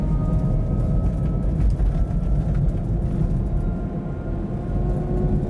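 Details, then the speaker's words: Kia e-Niro EV driven at about -35°C, battery at -20/-13°C: faint steady high siren-like whine over heavy road rumble, pitch dropping when braking brings in regen; identified as the drive motor. "oh that motor's noisy as hell sounds like a world war two clarkson siren air raid siren"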